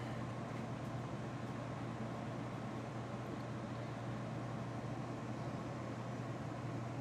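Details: Airstream furnace after vacuuming out and ignition diagnostics reset: steady even blower rush with low hum, no burner roar, just blowing room air, then it shuts off; furnace never lights, cause unknown.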